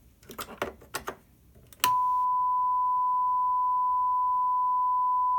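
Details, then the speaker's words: Behringer PMP 3000 mixer, microphone on channel 1 versus the channel with the overdriven head amp, fader near 75: faint clicks then a steady howl near one kilohertz locks in. Both channels show roughly equal gain before feedback; channel 1 is much hissier. "For all intents and purposes, they have roughly the same gain before feedback potential."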